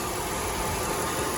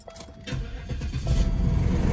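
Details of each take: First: 1998 Oldsmobile Aurora V8, sat for years, warming up after its high-revving problem was traced to a faulty flap: a steady, even idle with no misses, surges or knocks over a soft hiss; runs normally. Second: 1998 Oldsmobile Aurora V8 that sat for years, start after fitting one new sensor; catches, revs flare high for about two seconds then slowly drop to idle, no improvement; cause suspected, not confirmed; high rev flare on start.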